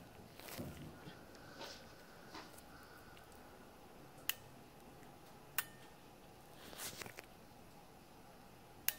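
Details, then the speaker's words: 4/5-pin automotive relay bench-tested with battery leads on pins 85 and 86: a few sharp isolated clicks in a quiet room as the coil is energized, showing the electromagnet pulls in properly. "The clicking sound you can hear when I touch the white wire to the positive battery terminal is the activation of the electromagnet inside the relay, which in return closes the switch."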